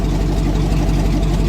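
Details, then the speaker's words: Old GM truck with 6.0 L V8 and 4L80E, VATS anti-theft deleted with HP Tuners: deep, even V8 rumble with a steady low beat and no knocks or stumbles; starts and runs normally. "he helped me get it figured out enough to where you can make her run so now"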